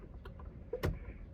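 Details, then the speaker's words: 1987 Chevy Monte Carlo after an electrical short was found and fixed. Quiet, even clicks of the turn signal flasher at a steady pace; the passenger side flashes normally. "now that the passenger side I don't need to buy new sockets passenger side is flashing like it should"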